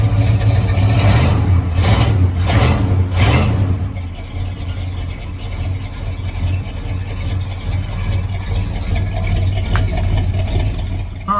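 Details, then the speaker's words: 1977 Ford F150 4x4, essentially stock, on a very cold day. The deep, smooth V8 blips up and settles back to an even low burble with no knocks or misses: a strong, healthy engine. "she fires right up no problems if she runs great she's not super loud but she's got a nice tone to her you can hear that it's pretty much stock but it sounds great"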